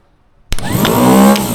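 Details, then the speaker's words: Starter motor for a David Brown 990 diesel tractor abandoned 20 years, bench tested on 12 volts: sharp click then smooth steady spin-up whir without grinding or dragging; starter works perfectly. "That works. Ah. Perfect."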